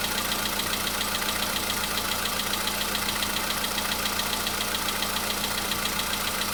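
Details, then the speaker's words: Cold start at idle on a VW Polo Sedan (CFNA engine), a day after an oil change and flush with flushing oil: a light, even tapping at about three to four knocks a second; it was absent yesterday, cause unclear. "Так вот есть, постукивает. Вчера не было."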